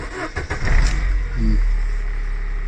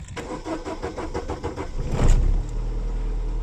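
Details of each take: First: 2000 Holden Astra, 1.8 L 18XE, warm: brief crank then catches almost at once into steady, even idle; long cranking occurs only on first morning start, a sensor suspected. Normal warm restart. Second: 2000 Holden Astra, 1.8 L 18XE engine, fuel pressure holding 50 psi: starter cranks about two seconds before catching, then rough sluggish idle; long-cranking hard start, cylinder 3 misfire being checked.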